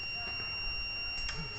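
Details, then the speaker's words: Mutant fire alarm control panel test, with the smoke detector opened and covered to simulate smoke: a steady piercing high tone over faint room noise. The fire alarm sounder activated after the detector triggered, until it is reset. "Nah ini fire ini akan ini nyala juga, harusnya bunyi ini."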